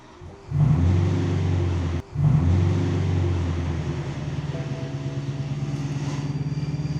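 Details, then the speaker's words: Abandoned BMW M3 V8 with 6-speed manual, first start after sitting: it catches, stumbles, nearly dies, then settles into an uneven, lumpy idle with an unidentified noise. Someone suspects it is clutch-related, since the clutch pedal stopped working. "oo doesn't sound great it's got some noises but it's running I can't tell what that noise is"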